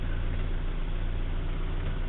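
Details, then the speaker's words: 1956 Morris Minor 950 engine, cold, at about 1000 rpm with 70 psi oil pressure and choke in: steady, even low thrum with no knocks, ticks or misses and no exhaust smoke; normal idle. "so it's cold but it runs like that all the time as you can see there are no strange noises nothing wrong with this motor"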